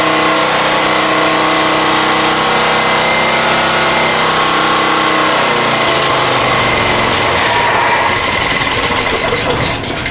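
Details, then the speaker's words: Honda EX1000 generator after carb cleaning and idle screw adjustment: steady drone only with choke half on, then falters and fades near the end; mixture still off, cause suspected, not confirmed. "one's at half choke. That's what it needs to at half choke. So something's still not quite right, but as you can see there, that light was solid."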